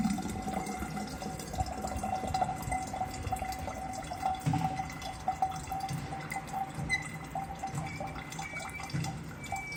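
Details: Faucet that keeps dripping: irregular drips against a thin, steady high-pitched squeal; possibly an aged rubber washer that has lost its elasticity or a faulty ceramic valve.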